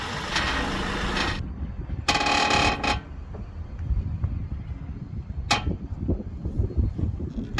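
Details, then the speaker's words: Honda Accord CU3, stationary with engine idling, steering wheel turned: dry creaking and ratcheting groans in bursts from the front end; owner suspects a lower ball joint, with lower suspension strut bushes also still due for replacement. "so I will turn the steering wheel now and you'll hear the creaking sound that I'm talking [Applause] [Music] about"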